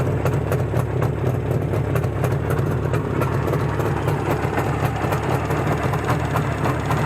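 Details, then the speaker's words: Izh Jupiter-5 two-stroke with balanced crankshaft, idling after about 2 litres of petrol burned with Rostov pistons fitted; steady, even low burble with crisp regular firing and no knock or rattle, the feared piston ringing has not returned; normal idle. "и работает сейчас этот двигатель по прошествии так сказать того что он вывел уже фактически 2 литра бензина без каких-либо посторонних шумов"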